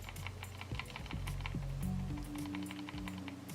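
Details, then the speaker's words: Roccat Kone Military mouse shaken: quick, sharp plastic clicks about four a second over background music, a loose sensor rattling inside, the same sensor rattle fault known on the Logitech G303. "now the other mouse known to have some sensor auto problems is a rocket Cohen military have a listen"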